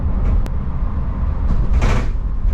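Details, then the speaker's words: Camper van on a test drive at increasing speed: sharp clacks and hollow bangs over heavy road rumble from loose, rattling side wall panels and doors, before sealing and sound-deadening repair. "Really hear that rattling. That's what we're trying to fix. That's the goal."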